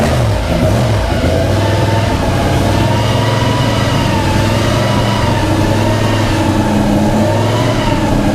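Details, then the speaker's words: 1956 Chevy Gasser with a newly made street exhaust that dumps out just ahead of the rear wheel. Loud deep burble at steady idle, rising and falling smoothly on blips with no misses or knocks; healthy. "so we're going to go ahead and fire it up and let you hear what it sounds sounds like uh through the exhaust dumps out right here before the rear wheel"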